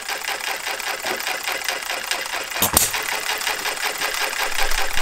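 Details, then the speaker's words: Model Farm Boy hit-and-miss engine (Jerry Howell design), first run after ignition set and Viton O-ring fitted: governor lets it reach about 650 rpm, fires near 570; light sharp ticking, two to three beats a second, firing and coasting evenly. Running well. "so that gets it up to 650 and it fires when it gets down to about 570."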